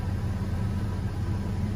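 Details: 2003 Chevy Trailblazer at idle after replacing the broken coolant temperature sensor that caused cold cylinder misfires: steady low rumble with an even beat, no misses or knocks; engine running smoothly.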